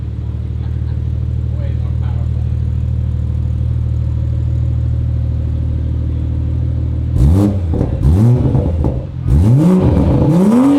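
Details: 2021 Toyota Supra after repair of its poorly installed, bent 4-inch single-exit exhaust, which scraped and rattled: a steady idle, then clean rising and falling revs with no rattle or scraping. Normal exhaust.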